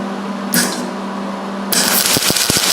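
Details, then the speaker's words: MIG welding on roll cage tubing with heat set at 6 and wire speed fast. Irregular harsh popping and stuttering crackle instead of a smooth sizzle, with the weld sitting on top: wire feeding too fast, heat too cold. "And a lot of what you're going to be doing with welding is listening as well as watching the puddle. So if you could hear kind of how it was crackling, you could tel"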